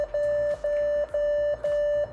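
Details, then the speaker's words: Old Asus mini PC with 4 GB RAM and 3.5-inch HDD powering on: faint fan, then four even mid-pitched beeps about half a second each; normal POST warning because no keyboard or monitor attached. "Sounds like it's powering on. I can hear the fan at least. And it should make a beep noise because it doesn't have a"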